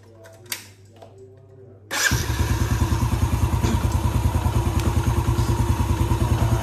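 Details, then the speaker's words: Yamaha Vega ZR after crankshaft bearings and faulty stator coil (spul) replaced, fixing a rough whining engine: starts and settles into a smooth, even low thump around three beats a second, nothing rattling; idle much smoother than before. "Oke, ini langsamnya sudah sangat halus, sangat berbeda jauh dengan yang sebelumnya."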